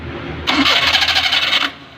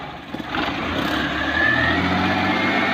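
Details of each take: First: Maruti Suzuki 800 carburetor engine, intermittent starting noise from the starter side: harsh, rapid metallic grinding about a second while cranking, consistent with starter pinion grinding on the flywheel ring gear. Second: Maruti Suzuki 800 with old carburettor engine, after repair of a crunching start noise traced to a worn flywheel ring gear: brief crank, then it catches and runs smoothly with no grinding from the starter. Starter bendix still due for repair.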